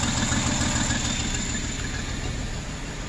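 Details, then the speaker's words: 2009 Jeep Wrangler 3.8L V6 6-speed manual with dead misfires on cylinders 2 and 5: rough, shaking idle with a lumpy beat about three times a second and a loping drop-out; no spark from the #2/5 coil, PCM coil driver burnt out by shorted primary circuit. "2008 this fire okay see it's shaking pretty good pcm"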